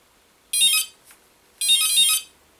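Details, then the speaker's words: Micro ducted fan (EDF) plugged into a servo tester on the bench: the ESC startup beeps come out raspy and rattly instead of clean tones, indicating an unbalanced fan rotor before balancing. "it sounds raspy it's not a real clear clean startup tone it's got a rattle to it uh that's a great indication that this thing is not balanced"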